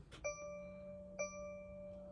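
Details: 2024 Mercedes Sprinter randomly won't start despite good battery and newly replaced starter; pressing start with foot on brake gives only a repeating ding about once a second, no starter engagement or cranking.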